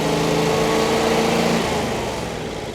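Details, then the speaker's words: Generac whole-home air-cooled standby generator restarted with the blue manual button after error 1100 overcrank was cleared and the gas valve opened; catches quickly and holds a steady, even hum that eases slightly; starting and running normally. "If you are not currently out of power, but you want to ensure that the generator is working properly, all you have to do is hit this blue manual button to crank it back up."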